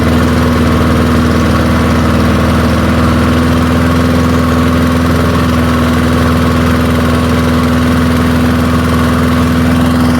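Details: Early-1970s BF Goodrich push mower's small engine, a barn find that sat for years seized, revived after freeing up and fitting the carburetor diaphragm; idles smoothly with a steady, even low drone at constant pitch, no misses or knocks.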